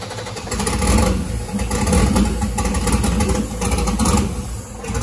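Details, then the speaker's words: Turbo LS-swapped caravan, first startup on freshly unlocked PCM tune without mass air sensor: uneven, lumpy running surging about once a second; tune still set for 25 lb/hr injectors though 70 lb/hr fitted, causing rough running. "oh wait i forgot to update the injector data again it thinks it has 25 pound per hour injectors in it it actually has 70 pound per hour injectors in it"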